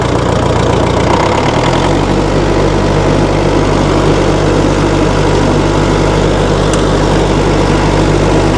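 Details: 1960 Massey Ferguson FE35 tractor, 4-cylinder diesel, starting after sitting unused in a paddock for a long time: catches and settles into a steady, even low chug with no knocks or misses, a healthy idle.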